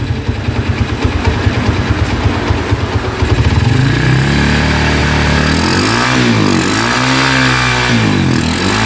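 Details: Honda Tiger single-cylinder motorcycle that smokes when cold and has lost power, started after a wash: rough, irregular clicking from the cylinder head, then throttle blips; cause found to be loose rocker arms in the valvetrain.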